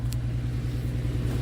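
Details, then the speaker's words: 2007 Dodge Nitro idling just after a second replacement of its fuel pump, with the fuel gauge now reading correctly at a quarter tank. A low, steady rumble with an even beat and no ticking or stumbling; idling cleanly, with no leaks seen. "all right she is running thank God and she's actually got an accurate gauge here"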